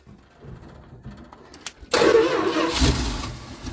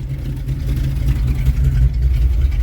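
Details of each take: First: 1973 Dodge D200 truck, 360 V8, 727 automatic, sitting 8 years: starter churns unevenly but never catches; bowls hand-filled, fuel pump pumps but isn't getting fuel into carburetor, so throttle leans it out — fuel starvation. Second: 1973 Dodge D200 with a 360 V8 and 727 automatic, first run after sitting eight years. With idle raised via the carb screw it gives a deep, steady, smooth burble with no misses or knocks. Normal idle.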